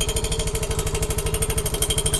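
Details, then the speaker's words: Yamaha Mio i 125 scooter with stock pipe refitted, idling: hard, regular knocking about twelve times a second, locked to engine speed, abnormal noise from inside the engine; the pulser coil touching the magneto rotor. "May kumakat sa loob ng makina. Ano lang to binakabit lang yung ano pero hindi normal yung ganitong ingay mga ka-rides"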